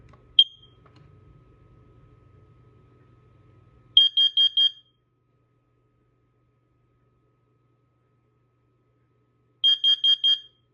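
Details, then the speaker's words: First Alert CO400 battery-operated carbon monoxide alarm with electrochemical sensor, manual push-button test: loud high-pitched beeps in groups of four repeating after a pause; alarm and horn working properly. "This alarm did perform its um manual push button test. The alarm operation was pretty good. I should say it was pretty smooth. And the horn on it was actually fairly loud."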